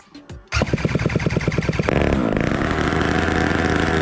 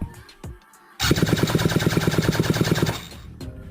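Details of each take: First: Jetsurf two-stroke engine on test bench with rebuilt ICU control unit, started after long standing with slight choke: pull-start chuffs, then catches and settles into steady buzzing idle with clear even drone; running normally. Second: Jetsurf motorised board engine on a rebuilt ICU control unit, started by button after sitting a long time: fast, uneven cranking thuds about three a second that never catch; cranks but won't start, fuel priming planned next.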